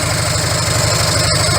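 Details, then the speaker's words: Harley-Davidson V-twin idling after repacking empty mufflers with fiberglass: even loping idle, mellow low exhaust thump, no rattles or ticks; noticeably quieter than before, healthy. "It's got that distinctive Harley Davidson sound, but it's just like you can listen to that all day. It's not going to drive you nuts."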